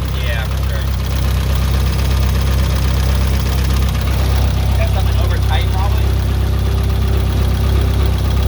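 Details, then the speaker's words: Nissan 240SX S14 SR20DET first start after rebuild, idling: light, fast ticking rattle in the head over the engine note; owner suspects lifters though they were bled; oil pressure good. "rattles in the head"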